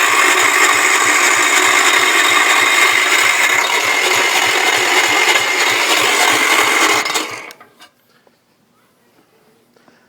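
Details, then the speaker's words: Kohler K241S 10 HP engine (no spark, messy wiring, poorly sealed spark plug): harsh high gritty whirring with steady ticking about three per second while cranking; starter grinding, likely caused by a dented starter ring gear. "Uh uh starter ring gear, as you heard in the last video, is dented in right there. I know it's not really showing up without my light on here, but uh there's a big dent in here. So that's probably what that noise was."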